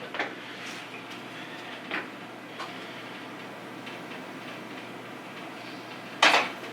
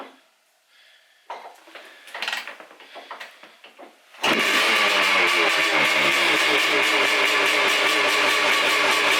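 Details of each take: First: 1989 Honda CR500R, non-running, before first kick start: a few crisp clicks as the throttle is released, the slide snapping fully shut; this check avoids a very high idle or flooding from a stuck-open slide. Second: 1989 Honda CR500R two-stroke, bought non-running, kick-started: catches after a few kicks and runs loud and raspy with harsh unmuffled crackle; muffler completely blown out, needs repacking.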